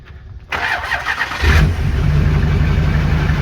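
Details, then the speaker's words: Rebuilt Duramax diesel truck, perhaps not a true cold start, with no exhaust fitted yet: brief cranking, then the engine catches and settles into a steady, deep, even idle with no knock or miss, a normal diesel start. "Sounds good. Oh, we didn't put the exhaust on yet."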